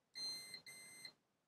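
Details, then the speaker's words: Continuity test on Manta SPK15GO speaker main board while hunting a short: two short high-pitched meter beeps with a gap, not a steady tone; owner suspects a capacitor discharging or possibly a faulty capacitor. Double short beep. "Słyszeliście dwa takie piknięcia tak jakby Podejrzewam że jakbym jakiś kondensator się rozładowywał czy coś być może to jest jakiś kondensator walnięty"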